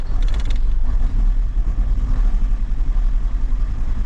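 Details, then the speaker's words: Vauxhall Cavalier, just started after an oil top-up: a low, uneven rumble that stumbles instead of settling; it runs rough, owner suspects petrol contaminated with diesel. "Anybody would thinking it was running on contaminated fuel. Yeah, I happened to get donated four drums of petrol with a bit of diesel in it"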